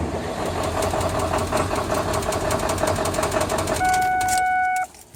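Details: 2000 Ford 7.3L Power Stroke diesel with no power and white smoke: uneven, lumpy rough idle with irregular knocking beats about three per second; cause unknown.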